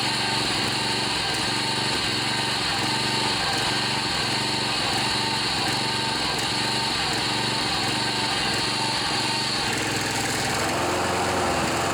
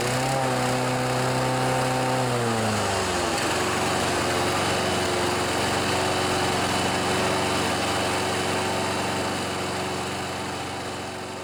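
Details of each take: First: John Deere 14PB mower with a Kawasaki 5.0 hp OHV engine that sat outside, after carburetor cleaning and rebuild: runs fast and steady with an even buzz, then settles smoothly. It sounds healthy. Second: John Deere 14PB mower, Kawasaki 5.0 hp OHV, after carburetor clean, blades disengaged: high even buzz drops into lower hunting drone rising and falling about four times a second; smoothed under blade load, carb confirmed working.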